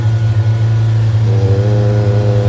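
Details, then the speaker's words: Sigra car with idle at only 300 rpm (normal 600), held above 3000 rpm by the mechanic; coils and plugs checked fine: loud, steady high drone with an uneven wobble, brebet sound and strong engine vibration. Rough running, cause unknown. "Jadi katanya itu lamsamnya rendah sekali, dan kalian dengar sendiri suaranya yang berebet begitu guys. Sama mesinnya juga bergetar kuat sekali karena sudah dicek semua tadi, tidak ada masalah di bagian depan."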